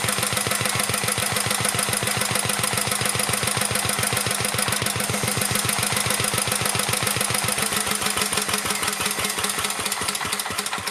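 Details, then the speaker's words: 1949 Petter A1 air-cooled single-cylinder stationary engine driving a homemade "Bitsa" generator and lighting set: steady, even beat at about 214 per minute, no misses or knocks, holding speed under the dynamo load; normal running under load. "I'll shut up for a bit so you can enjoy the sound of a vintage engine"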